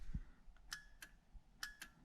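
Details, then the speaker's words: Horn test after installing a Sparco quick-release steering wheel with NRG hub adapter on a 1990-93 Fox-body Mustang, power on: four crisp clicks in two pairs as the buttons are pressed; horn relays switching properly, successful install. "Okay, so we're gonna make sure the power is on, and you should hear the relays to the horn going off when I hit the buttons."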